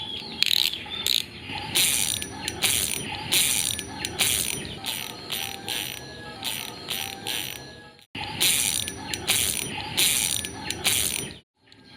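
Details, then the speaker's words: Spinning reel after a no-new-parts modification to make the drag louder: loud, crisp, high-pitched ratcheting clicks in quick bursts as line pulls off; clicker now louder than before, working normally. "Dan kita bisa langsung cek suaranya. Oke, otomatis lebih keras jadinya, sobat mancing."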